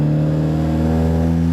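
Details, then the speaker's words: Audi A3 Stage 2 with CTS downpipe, cold day, driving gently up the street, in-cabin sound; deep boom drone shaking the windows, loud mid-car; loose clamps left the midpipe completely disconnected. "there it starts shaking the windows yeah so it didn't used to do this guys at all"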